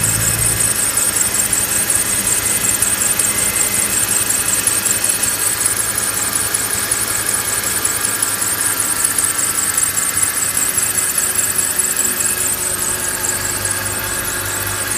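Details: BMW E46 with M54 engine, at idle: steady high-pitched squeal over an even idle from the belt drive near the alternator; belt or pulleys suspected, not confirmed.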